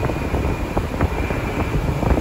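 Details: Hayward Heat Pro pool heat pump after filter-drier refrigerant leak repair (LP low-pressure error), powered up at 74.5°F ambient, discharge about 57°F: steady even fan rush and compressor hum, no knocks or rattles; normal running.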